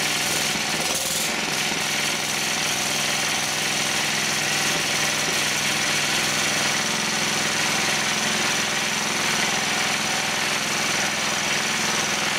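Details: Old Proto-Power PP15 generator with Clinton engine, no electronics, rescued from scrap and first fired up: steady busy buzzing run with fast mechanical patter, no stumbling or surging; running fine.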